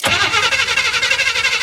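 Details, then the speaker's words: 1967 Chevy C20 pickup, sitting 10-12 years, first crank attempt after fueling: fast starter whirring with even cranking pulses but the engine never fires; crank no start, spark to be checked. "no gallop though. You hear that? Oh, that's. You think we got spark? Let's check and see if we got spark."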